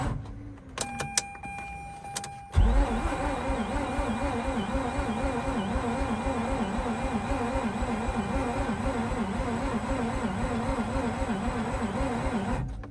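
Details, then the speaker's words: Mazda RX8 after sitting overnight, cranked with seized alternator pulley: labored, uneven cranking drones about ten seconds and never catches; locked alternator pulley dragging engine down, old starter. "guys once again this was with the alternate pulley locked up"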